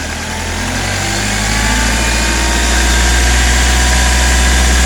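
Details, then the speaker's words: Hyundai i20 at idle speed during a timing-chain check: steady idle hum with a light, regular tick on top; only normal lifter noise, no abnormal sound. "अभी हम देख रहे हैं किसी भी type की कोई भी आवाज़ नहीं है, सिर्फ ओनली लिफ्टर्स की आवाज़ आ रही है इसके अंदर।"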